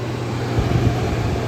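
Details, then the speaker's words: 1959 Welbilt Wall-Slim 2-horsepower heat pump, sat 15 years, fan-only mode on low speed: a steady low whooshing hum with even airflow, like a Philco Space Saver, no knocks or rattles; normal blower operation. "That must be low speed. >> It's got the same noise as a space saver Philco."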